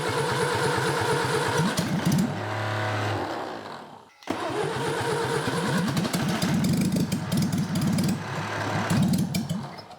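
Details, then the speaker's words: Classic 1963 Mini 850cc BMC engine, decades in a shed, no carburettor fitted, distributor rebuilt: starter chugs rhythmically with a few ragged firing bursts that die away, twice; turns over but won't run without fuel supply. "That's all right. There's not much because we don't have a carby, so we can't."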